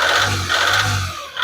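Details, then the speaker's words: Volkswagen Polo diesel at start-up and when revved: hard metallic knocking rattle over the engine note, rough and vibrating, because replaced injectors are not yet coded to the ECU (20-digit injector code needed). "Knocking பாருங்க start பண்றப்போ எந்த அளவுக்கு இருக்குது அப்படின்னு."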